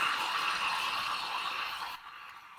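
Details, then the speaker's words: 2004 Jeep Liberty A/C compressor pulley, belt removed and spun by hand: gritty, rough whirring bearing noise even after PB Blaster and lube; caused a grinding drone at idle that varied with RPM; worn pulley bearing, pressed out and replaced. "really unhappy bearing and that's after it's like been blasted with like lube and PB Blaster so that needs to get changed"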